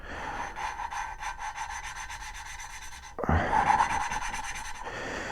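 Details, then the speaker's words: Inline-four valve lapping on an 83 Suzuki GS1100E cylinder head, with lapping compound and tool in cold weather: gritty back-and-forth rasp about two to three times a second, tone changing as the seat is cut; valve lapping grinding. "you can hear that and once again the tone you'll hear a change in the tone"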